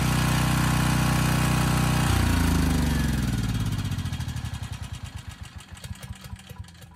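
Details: Briggs & Stratton Storm Responder generator repowered with a 10 HP Briggs engine, old oil, unserviced carb: steady single-cylinder drone for two seconds, then shutoff and slowing coast-down thumps; engine runs fine.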